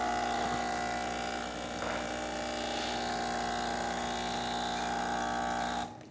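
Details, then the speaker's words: Breville Oracle Touch espresso machine after a completed service (solenoid valves and wiring tested): steady pump hum with smooth, even hot water flow cutting off cleanly; hot water dispense for Americano working normally. "Oh, just to test the hot water function in case you wanted to make Americano. Working fine."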